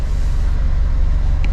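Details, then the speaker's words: 2009 Ford Ka, a Copart category N salvage car, inspected on delivery: oil slightly high, no warning lights. A steady, even low rumble has no misses, ticks or knocks. The small petrol engine idles beautifully. Normal idle. "let's have a look under the bonnet um so obviously have a new battery at some point idles beautifully"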